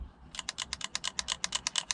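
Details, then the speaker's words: Two-stroke engine with case open, centrifugal power valve timer turned by hand, engine off: rough train of sharp clicks about seven a second; bearings suspected gone, not confirmed. "that sound like the bearings have gone"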